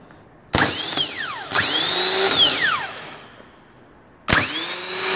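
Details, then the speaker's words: New rebuilt starter for a DT MaxxForce diesel, bench tested against a 10-year-old MaxxForce 7 starter that growled and dragged; three quick spin-ups, high whine climbing fast and coasting freely, smooth with no drag or grinding; healthy starter. "love it so there's a huge difference bushings are new and everything this one's probably dragging the motor and it's just ten years it's paid for itself and it's a quite a difference in the action and the sound"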